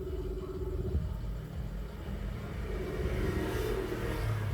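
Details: Mitsubishi Mirage G4, automatic: low, uneven idle with a loping, stumbling beat instead of a smooth hum; scan tool DTC confirms a cylinder 1 misfire, with spark plugs then addressed and the code cleared.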